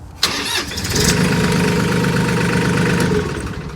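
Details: Mahindra diesel tractor after wiggling and pushing in a safety switch: cranks briefly, catches quickly and settles into a steady, even idle with no misses; starts and runs normally.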